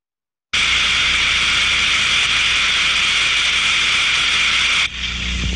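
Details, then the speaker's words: Ultrasonic inspection of a thermodynamic disc steam trap: loud, even rushing hiss for about four seconds, then an abrupt drop as the disc snaps shut; a clear up-and-down work cycle, normal trap cycling. "będziemy musieli bardzo wyraźne cyklu pracy tak to będzie pracowała góra dół"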